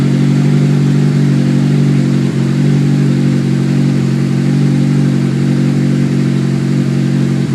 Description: S2000 weird noise on a cold start does anyone know what it is?